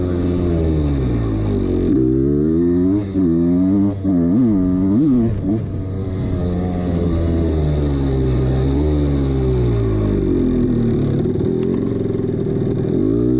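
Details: 1989 CR250 two-stroke blipped up and down, hollow rattly clatter under the exhaust note, worst just off idle; piston slap from a worn piston, left ignored too long.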